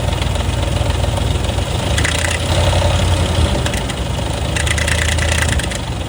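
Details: 2004 Ford F150 with oil changed every 3,000 miles, idling before a timing job: a steady V8 idle with a light, fast, uneven rattle over the low rumble, heard for about a year; the timing chain proved badly stretched against a new one.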